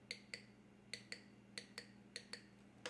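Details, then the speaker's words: Injector number 2 from 1989 Oldsmobile Toronado bench-tested off engine, 15.1 ohms: crisp even clicks in quick pairs about three per second; injector opening properly. "Let me test it to make sure it's clacking first. Yep."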